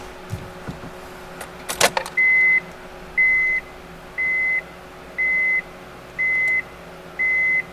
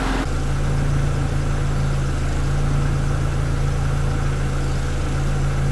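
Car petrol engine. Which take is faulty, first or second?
first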